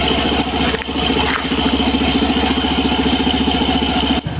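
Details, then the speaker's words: Suzuki Burgman Street EX 125 with the stock CVT belt refitted, engine running: a dry, rhythmic rasping scrape from the transmission side. Once blamed on the torque drive bearing ring, it turned out to be the worn drive belt. "Narinig niyo yung kakaibang tunog na kumakaskas."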